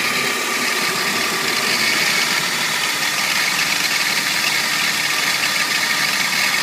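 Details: 1998 BMW 328i E36 petrol engine idling with the AC on: a steady, dense, high buzzy metallic rattle, also heard on acceleration when letting up the clutch; the owner suspects a bearing, not confirmed.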